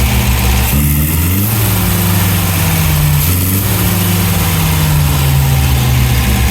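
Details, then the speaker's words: 1971 MGB GT after cleaning the carbs: uneven idle with a wandering, hunting beat, still rough. Better than before; idle tweaked and plugs to be checked. "Certainly a lot better than it was. Right, we'll do a bit more fettling and we'll go from there."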